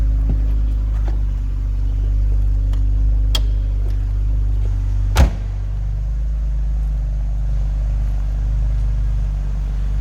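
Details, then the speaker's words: 1999 BMW Z3 roadster, 2.3-liter inline-six, 33,656 miles, no engine lights, recorded from the rear: steady, smooth low exhaust burble with even beat, no misses or knocks; normal idle. "Runs and sounds as it should also."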